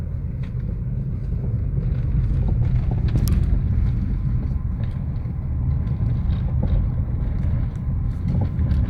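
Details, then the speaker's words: Chevrolet Onix Plus, 2,223 km, driving on cobblestones: scattered knocks on the driver's side following the bumps, silent on smooth asphalt; owner suspects the steering rack, unconfirmed. "eu estou aqui em uma em uma uma rua com calçamento com aqueles paralelepípedos e ele faz um barulho muito estranho aqui do lado do motorista"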